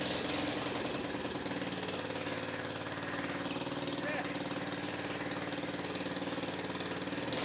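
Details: Victa 10-42 / MTD 145-760A lawn tractor, ~50 years old, covers off, no muffler, carb dripping fuel: loud raw open-exhaust bark, fast even beat, single runs steadily after starting.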